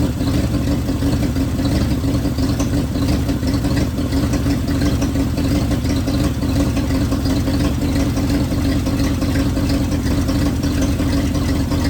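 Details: 1971 Ford bumpside wrecker truck V8 just after a fuel pump change and oil change runs loud and lumpy with an uneven, stumbling beat; missing on a cylinder, not missing the day before, cause not yet confirmed.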